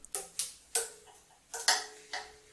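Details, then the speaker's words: WM210V metal lathe with the belt tensioning assembly removed: sharp plucks of the two drive belts ring at clearly different pitches, showing unequal tension; the top belt sits close to the gear and gets dirty; moving the motor might fix it. "Because the top belt is so close to the gear, it gets dirty. You can hear that the tensioning is different on two belts."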